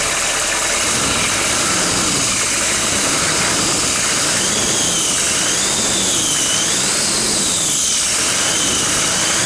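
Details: GM 6.5L turbo diesel, original engine, 87,000 miles, first start after six years sitting, intake pipe removed to expose turbo; high whistle climbs and dips with each rev over diesel clatter, turbo spooling freely, normal turbo whistle.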